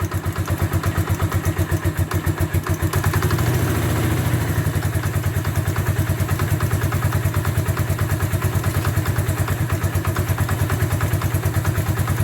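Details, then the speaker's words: Bombardier Quest 650 ATV running with the side cover off after a new Gates G-Force C-12 CVT drive belt was fitted. An even idle thump, a brief blip, then it settles; the belt drive is quiet with no slap or squeal. Normal running. "All right, so before we put the side cover back on, we're just going to start it up, make sure everything's looking good there."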